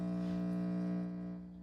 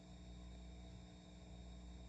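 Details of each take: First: 6J1 tube preamp kit with volume turned all the way up, powered by the noisy supply: steady low hum with a few fixed tones that fades slightly; power-supply ripple (120 Hz) leaking into the audio. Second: 6J1 tube preamp kit with a capacitor multiplier, a buck converter making 56 V and 12.6 V heaters, at full volume: only a faint low hum and soft hiss. Supply ripple is well filtered, unlike the noisy wall supply.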